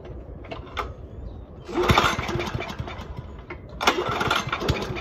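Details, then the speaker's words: Toro commercial 22295 mower with a commercial Honda engine, sat all winter, no start after 10–12 pulls on full choke. Primed with brake clean, it catches, sputters a second or two and dies, twice. Suspected carb issue or old fuel in the bowl; tank fuel fresh. "Have some carburetor issues, maybe just old fuel in the bowl."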